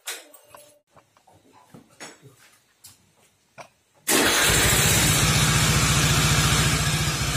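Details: Suzuki Nex FI scooter after CVT and gearbox repair (gearbox bearings and roller housing replaced): starts after a few clicks and settles into a smooth, even idle; the loud CVT/gearbox roar is gone, though a slight noise remains mid-engine.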